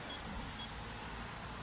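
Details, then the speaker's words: Bionic X4 detector during calibration, with the calibration knob set too high: faint short high-pitched beeps, two quick ones over low hiss, warning that calibration is too high. "When it is very high, then you can hear the beeping. This is a warning that it is too high."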